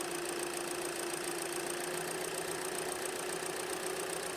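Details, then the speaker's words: 2018 Hyundai Elantra 2.0 L (surging, rough running, codes P0017 and P0301, cylinder 1 misfire) after replacing a faulty sensor: smooth, even idle with a steady hum, no misses, surging or knocks; good lab-scope signal. "Now I'm going to go in the vehicle and start the engine. So, as you can hear, the engine is running."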